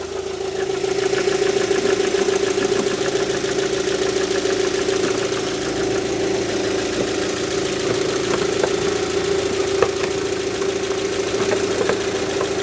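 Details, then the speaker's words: Rover 75 petrol engine idling after new spark plugs replaced the factory originals, cover still off; a steady, constant-pitch idle hum with no misses or stumbles, judged to be running better. "Now I'm listening for misfires. I can't hear any misfires. Blub da blub da blub da blub. That's all right."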